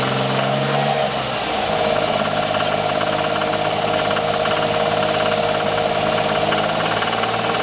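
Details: 1994 Ford Taurus SHO V6 idling with a rapid, fairly regular knock, about three to four taps a second, that developed about 500 miles after a timing belt change; source unknown.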